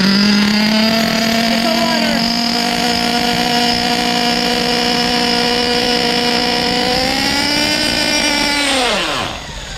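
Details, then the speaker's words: 2011 HPI Pulse 4.6 RallyCross nitro buggy, LRP 32 engine, first test start: screams at high steady rev from the start, pitch creeping up before abrupt cutout; throttle trim believed correct, glow plug found unscrewed afterward; cause unconfirmed. "that was weird that was weird pretty sure the throttle trim is correctly set it's weird it was uh doing a little bit of a high throttle there"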